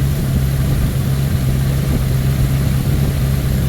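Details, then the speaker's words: 1979 Ford Thunderbird after fuel system rebuild (new fuel pump, filter, rubber lines, sending unit), running on its own: steady, even low hum with no misses, knocks or ticks; idling smoothly and healthy. Only residual spilled oil burning off. "yeah she sounds healthy she smells healthy she is healthy"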